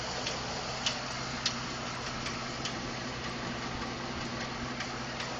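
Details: 2012 Ford F150 5.0 V8 warm idle after running a while; light quick slightly uneven ticking; owner told it may be normal injector, fuel pump or tolerance noise; cause unconfirmed.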